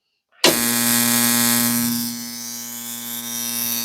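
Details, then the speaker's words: Original DDR-style AWO ignition coil (Simson/MZ/AWO) on 6 volts, Bosch tester spark-gap test at 8 mm: crisp, steady buzzing crackle, strong clean spark without dropouts; slight misfires begin around 10 mm. "Jetzt sind wir bei 8 mm. Starker Funke, sauberer Funke, 10 mm."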